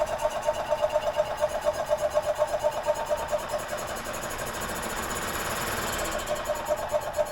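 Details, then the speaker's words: 2001 EZGO TXT gas golf cart, previously seized engine, spark good, 12-year-old fuel added: uneven cranking pulses about two per second with a brief rougher stretch, but it won't fire; owner suspects a fueling issue. "any fuel it looks like there's fuel in there [Applause] oh yeah definitely a fueling issue"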